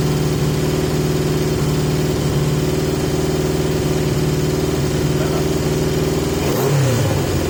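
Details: 1980 Yamaha XJ650 at an even, fast idle with a steady beat, with masking tape over the pod filters to restrict airflow; idle still sits too high.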